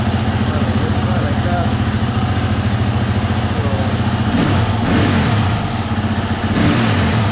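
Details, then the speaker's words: 2020 Husqvarna FE 350 with 40 hours, after replacing the in-tank fuel filter and screen: quick, even idle then crisp throttle blips that rise and fall cleanly without the previous stalling; normal idle and revving. "right so seems like it's all working um at least it's idling you know from idle you can open up the throttle"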